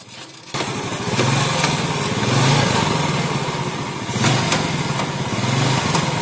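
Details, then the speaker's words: Yamaha Jupiter Z idling, with intermittent gear-shift trouble: lumpy idle with a coarse, uneven rattle from the right side that comes and goes; clutch housing suspected, possibly worn or with crumbled rubber dampers. "Untuk suara seperti ini sudah bisa dipastikan ini dari rumah kanvas kopling. Ini kemungkinan sudah aus atau karetnya hancur, atau bisa juga sudah oblak lumayan parah."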